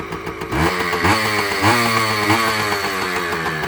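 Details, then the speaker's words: Two-stroke motorcycle, cold first start after rebuild: one kick and it catches at once, then settles into a crisp, even idle with a steady beat; runs clean and healthy, no leaks. "Purring like a kitten, baby. The sweet sound of a 2-stroke. Listen to that. That is all there, guys. All there. Nice and crisp."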